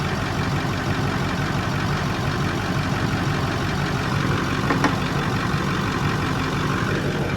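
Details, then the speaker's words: Ford 6.4 PowerStroke diesel truck, arrived with no oil or coolant, first start with fuel in filter: uneven loping idle with a little blow-by, smoke and ticking; cylinder 2 reads a little low, cause unclear, possible rebuild candidate. "They're blow-by generators. That's what they do. Oh, but number 2 is a little low. Cylinder 2."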